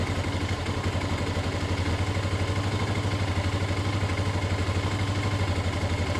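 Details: CG/CB-type motorcycle carburetor, low-speed air screw set to one and a half turns for correct idle stabilization: even single-cylinder putter about four beats a second, steady, no hunting or surging; settled idle.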